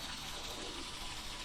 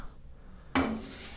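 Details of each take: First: LG WT7800 direct-drive top-load washer after sensing the load weight, filling the basket: even continuous gush of water with faint low hum, no grinding; normal water fill. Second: LG WT7800 direct-drive top-load washer, agitator spun by hand with lid open: short dry scraping grind, agitator shakes and wobbles because it is not connected to the drive, so washer will not sense load; loose agitator grinding.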